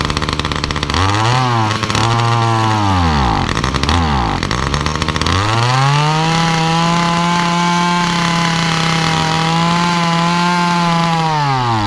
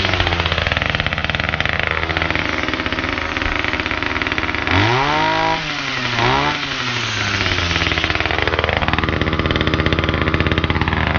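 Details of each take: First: Titan multi-tool hedge cutter, small two-stroke, cold start after priming: revs rise on throttle, then sag and stumble twice before holding a high scream. Bogging under throttle whether cold or warm, blamed on the faulty carburettor, which is to be replaced. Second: Titan multi-tool, small two-stroke, cold start with attachment fitted, after a cheap replacement carburettor: idles, then revs up cleanly and drops back twice with no bogging. Normal running, fixed; idle slightly high.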